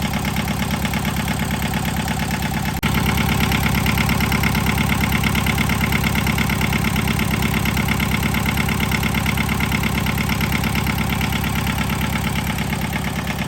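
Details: John Deere 650 two-cylinder diesel tractor after head gasket replacement: slow, even chuff at idle, every beat firing cleanly with nothing odd underneath; healthy engine, owner says it sounds really good.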